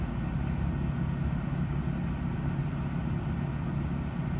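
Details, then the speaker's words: 2000/2001 Toyota Tundra Limited, about a quarter million miles, warm after a long idle with the air conditioning on in hot weather, temperature gauge holding at halfway; a steady V8 burble with no misfires, ticks or hunting. "But I've just been sitting here letting the truck idle with the air conditioning on. And it seems to be doing fine."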